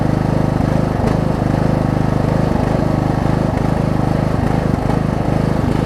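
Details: Wizard (Craftsman) riding mower after deck install, bracket weld and new deck belt, final test: small single-cylinder engine holding a steady, even beat at constant speed, no misses or knocks. Normal running.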